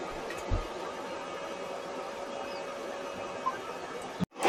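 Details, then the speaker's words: Hybrid solar inverter recorded by action camera while charging (about 500 W solar harvest): steady, even whir with constant mid-pitched fan hum; normal cooling fan noise, louder when charging at high harvest or from AC grid. "Ito po 'yung umm tawag dito ingay nung inverter."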